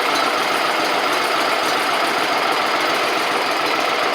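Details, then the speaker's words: Gravely 260Z Kohler V-twin after removing the faulty DSAI ignition module: even, steady buzzy idle with no misses, good spark; throttle plates still off and throttle not yet set; runs and shuts off on its own. "Idle's good. The throttles are all messed up cuz I had to take all the plates and stuff off of it. But there we go. It's running."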